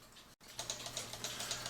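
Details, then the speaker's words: E. Schmeckenbecher cuckoo clock with weights marked 275 hanging, before bellows adjustment (cuckoo call faulty): light, crisp ticks about every quarter second, steady and even in a quiet room; clock running normally. "so this clock does tick I have the weights hanging on it these weights are marked 275."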